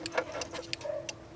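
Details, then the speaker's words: 2000 Jeep Cherokee XJ after flasher replacement, ignition on, turn signal on: crisp clicks in pairs about every third of a second, still flashing steadily two minutes later, previously stopped within 30 seconds. Finding: normal turn signal flasher operation. "Now I'll turn the directional on, and we know that it doesn't even flash for 30 seconds, so let's see. You can hear it clicking."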